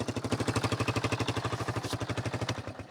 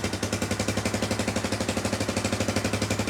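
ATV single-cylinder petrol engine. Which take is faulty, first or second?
second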